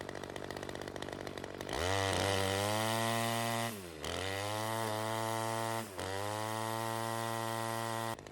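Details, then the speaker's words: Ryobi CS 30 two-stroke trimmer running lean after teardown and new adjuster: revs scream high then sag and recover, hunting; air leak remains, suspected from homemade gasket, new gasket to be fitted. "still has that air leak and I am probably going to guess it has something to do with that little homemade gasket"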